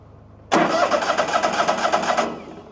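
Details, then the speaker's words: Old Ford tractor, winter: idles, but surges with rough uneven pulsing and dies within two seconds when given fuel; owner suspects dead, stale gas, little left in tank. Engine stalls when throttled. "So, it'll sit there and idle. As soon as I try to give it a little fuel, it kills it."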